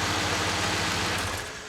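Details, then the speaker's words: Nissan 240SX drift car, first start after swapping in a replacement KA24DE with healthy compression, new water pump, front main seal and oil pan, no cooling pipes connected; even steady idle, smooth low pulse, no knocks or ticks, oil pressure good, healthy. "I can't show it, but sounds good. The motor sounds healthy."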